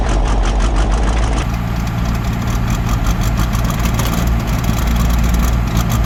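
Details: 1975 Dodge D600 auction truck fired up after sitting overnight: engine cranks briefly, catches, and settles into a steady, even low idle with no knocks or misses; normal cold start and idle.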